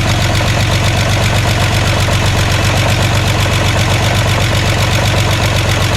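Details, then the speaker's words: VW Jetta cold start after a clutch job: loud, rough warm-up idle with steady light tapping of about two to three per second from fresh lifters, expected to go away once oil pumps them up. "he's alive it's normal it's easy I mean it's normal for the lifter to be ticking because they are fresh but this snow should go away in a few"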